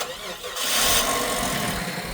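A short crank, then the engine catches at once and settles into an even idle; it is a clean, healthy start.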